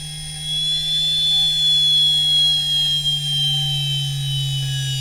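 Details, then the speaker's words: Standard 50 Hz, 1500 rpm induction motor on a variable-speed drive in field weakening, overdriven to 400 Hz: high electric whine with low hum, pitch sagging as the motor desynchronizes and slows, too little torque to go faster. "Now we're at 400 Hz and you can hear the motor slowing down. Can hear it desynchroniz in there. So there's actually not enough torque available to go any faster when you do that."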